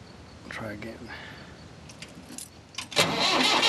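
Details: Engine starting after sitting: a brief sputtering catch that fades and dies, then another crank bursts into a rough run; it fires but won't keep running, and the throttle had no effect.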